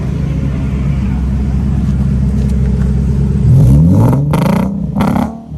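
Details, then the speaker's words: Nissan Z V6 recorded at the exhaust: rough, uneven idle, then two quick choppy revs from a misfire. "So I was just talking to you guys about how my car's running like shit. We just heard this guy. Dude, my car's running like shit too."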